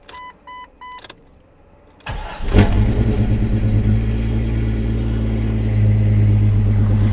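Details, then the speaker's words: Jeep XJ after sitting 24 hours, long-standing hard cold start since 2016: chimes, slow crank, then lumpy stumbling idle that clears up; fuel pump assembly suspected, not confirmed. "wait for it yeah see runs like crap then eventually it clears up once it gets to this point it starts every [Music] time"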